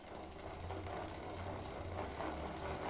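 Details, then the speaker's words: Giant Defy bicycle with short-cage derailleur and 11/32 cassette, chain shortened: light ticking about four a second from the drivetrain when pedaling backwards; forward pedaling is fine. "you can hear it ticking there you're not going to be uh you know not going to be pedaling backwards much"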